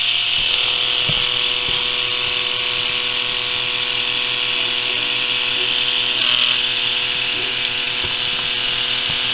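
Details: Philips cordless rechargeable electric shaver, fully charged but measuring only 1.25 V at the motor, before modification: thin, steady buzz with a lazy, uneven rattle. The cutter motor turns slowly because it is starved of voltage, so shaving takes very long.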